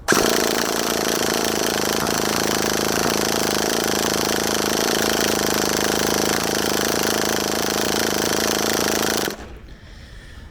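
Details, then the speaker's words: HPI Savage 21 nitro RC truck in cold weather, primed, cranking for about nine seconds with only faint, irregular pops and failing to start; owner suspects a carburettor blockage. "it's trying is it it is trying it's just not quite getting there you can hear it popping a little"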